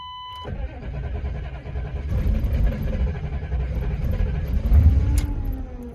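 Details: 1994 Suburban 6.5 diesel: after a chime the starter churns about one and a half seconds before the engine catches and runs unevenly; hard start, long cranking.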